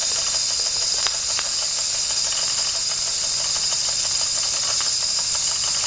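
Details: 1992 Wilesco D400 live steam toy tractor, no. 447 of 600, running after a fix: a constant sharp steam hiss with faint, even puffs underneath and no clanking; the engine runs properly.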